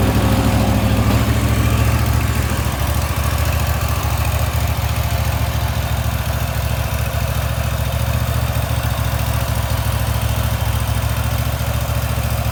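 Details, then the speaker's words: Wright Stander X mower after restoration: a deep, even engine run with a steady low beat and no knocks or rattles. Runs healthy and normally. "That thing cuts beautiful."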